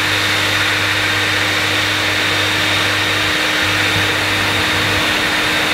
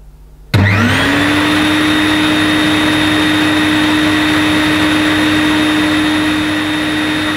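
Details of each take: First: Electrolux Masterlux 3-in-1 vacuum with a new motor fitted, switch possibly faulty: steady high motor roar, with a low hum that drops out and returns near the end; pump running intermittently, cause unconfirmed. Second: New-in-box Electrolux Masterlux 3-in-1 wet-and-dry vacuum, stored about two years, first switch-on: suction motor spins up quickly to a steady, even, relatively quiet whine with no rattle or wavering; running healthy.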